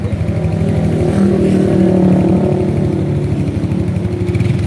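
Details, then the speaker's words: Yamaha RX King two-stroke, hard to start, repeatedly visited workshops without a fix: loose, uneven pulse on gentle throttle, ready to falter, and it dies when revved. Stalls when revved; carburetor later identified as the main problem. "Jadi kalau hidupnya udah hidupnya susah giliran di blayer mati kalau gasnya pelan-pelan aja bisa tapi bayar mati itu masalah utama"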